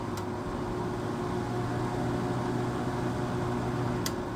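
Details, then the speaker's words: Whirlpool 5000 BTU window air conditioner ACM052XH1 with an old LG compressor, on medium fan, owner suspects a low refrigerant charge: steady droning hum with a low buzz under fan rush; the compressor runs loud and rough. "there's the angry LG compressor there"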